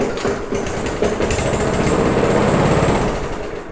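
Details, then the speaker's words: Abandoned MTD push mower engine: catches and runs rough for a few seconds, then fades and dies as it runs out of fuel. "If all goes well, I am going to fire it up. It will turn on for a hot second, run out of fuel, and it will die."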